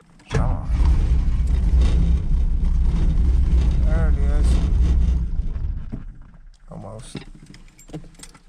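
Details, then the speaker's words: 1983 Chevy C10 small block, lopey cam, carburetor with no choke, cold start: catches with deep lumpy beat and runs on steady throttle a few seconds, then sags and dies once pedal released; hard cold start. "this is what it does you know startup and then it if you give it steady you know fee to the fuel that will stay started when you let off it just follow nice and docile"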